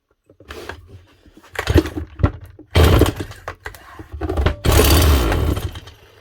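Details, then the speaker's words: Stihl MS181C chainsaw after rebuilding its aftermarket carburetor with a cheap kit (previously ran rough, low power, then wouldn't start): primed, choke on, fires first pull, throttle blips rise and fall cleanly with crisp bark; repaired, running healthy. "oh nice one did not think that was going to start as easily as I did few pumps of the primer throw on the choke one pull where she goes"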